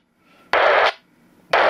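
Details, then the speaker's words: UHF radio on 449.475 MHz: half-second bursts of harsh raspy data-like noise cut in and out over quiet hiss, heard constantly 24/7 for up to 20 miles; source unknown, intermittent beeping interference. "this cutting it in and out constant 24 hours a day s days a week for miles around"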